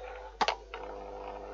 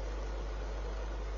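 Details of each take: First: Fan heater switched on with a fault: a thump, then harsh buzzing scrape and the fan is not turning, described as a terrible noise; the fan wheel is rubbing, later fixed temporarily with electrical tape on the spindle. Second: Repaired fan heater, with electrical tape on the spindle, running in fan heater mode: a steady airy hiss and low hum with no rattles; it runs normally.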